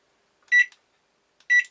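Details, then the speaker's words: Old Daewoo KOG-6C2BS microwave after control button replacement, cup of water inside: two short crisp high beeps about one second apart, one per press, second press resetting timer to zero; buttons work. "И второе нажатие сбрасывает на 0. Все. Кнопочки наши работают."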